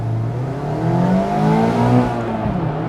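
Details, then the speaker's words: 2020 Mazda MX5 ND2 100th Anniversary, four-cylinder, two years and 20,000 miles, driving under acceleration: a smooth, raspy note climbing steadily in pitch with even firing, no knocks, plus rev-match blips; healthy engine. "don't think that sounds bad it's not really loud but I don't really want it to be loud I just want to hear it it's loud enough and the sound you get when you rev match that's nice too"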